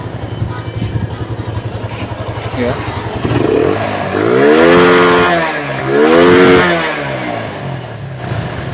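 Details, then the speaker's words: Yamaha Vega Force FI that sat unused and would not start (then misfired), running well after the fuel injector and throttle body were cleaned with CVT/throttle body cleaner: steady single-cylinder idle pulse, then two clean even blips; normal idle. "Ayan maganda na yung andar niya mga boss"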